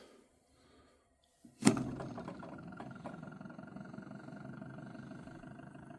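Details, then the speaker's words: Pulse motor with 1-2-3 BCE circuit on a 9 V power supply: sharp click, then quickly spins up to a steady, even hum with no stutter or knocking; owner thinks the coil may be why it is smooth; normal smooth running. "And it's nice and smooth. Just listen to that. It might have something to do with the coil that I'm using, but it's smooth."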